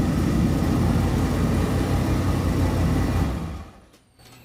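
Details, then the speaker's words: Buick T Type after Boss Hog torque converter upgrade and fluid fill, Holley EFI retuned, started checking for leaks: deep even rumble with steady beat, no ticks or knocks, less smoke than before, then winds down smoothly; normal idle. "sounds good. And there's a lot less smoke in the garage this time because I did a little tuning on the Holley EFI."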